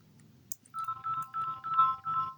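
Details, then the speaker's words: Samsung Galaxy A05 after speaker module replacement, previously no sound at all: clear melodic ringtone bursts around 1 to 2 kHz at full volume without crackle or buzz; normal phone speaker output. "Right, it's making sound now. Before it wasn't making any."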